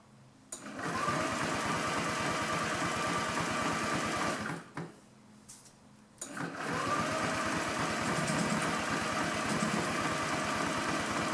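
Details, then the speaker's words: 2009 Honda Metropolitan scooter with an owner-fitted new carburetor and new battery: the starter spins with an even whir of about four pulses a second, twice, and the engine never catches. It is a no-start, and the fuel pump is suspected. "Well, the first thing I want to do is go ahead and try to start it, see if it does anything. Sounds like maybe the fuel pump."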